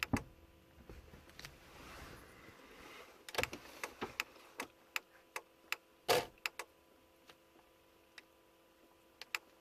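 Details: Stationary VW Passat with dry relay-like clicking from the indicators in uneven bursts even though the indicators are switched off; the problem was later fixed.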